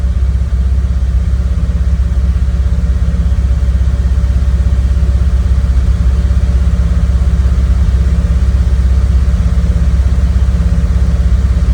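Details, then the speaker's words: Cold start at about 37°F (9°C) after sitting overnight, CIS fuel injection, frequency valve relay recently replaced, no throttle input, about a minute in: fast steady hum well above normal idle, RPMs then coming down; high idle during warm-up. "Nothing on the AFR. The RPMs are coming down. I heard it change."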